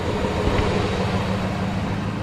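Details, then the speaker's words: 2003 Hemi Ram truck V8 started with the camera on the engine, settling to an even, steady idle rumble with no ticks or knocks. It sounds the same as when handed over, despite the son's report of rough running and transmission slip; normal idle. "at this point it sounds exactly the same as the day I gave it to him"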